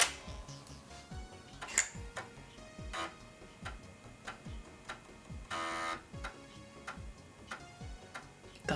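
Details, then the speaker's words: Floppy drive installed in an Amiga 1200 Eyetech EZ Tower, first power-up test. Regular sharp ticks and short buzzy head-step bursts as a disk loads, with no grinding or stalling. Normal seek and load. "okay nice it's alive it's making the right noises let's see if it actually loads the"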